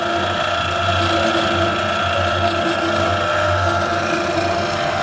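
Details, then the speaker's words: TK (Tokushu Kika Kogyo/Primix) 15-liter jacketed vacuum mixer/emulsifier with onboard vacuum pump and heated circulator, homogenizer and scraper agitator running together: even mechanical whir, steady tones, light rhythmic pulse, no grinding or knocking; healthy mixer running smoothly. "Inside there you see we're running the homogenizer and the scraper agitator at the same time."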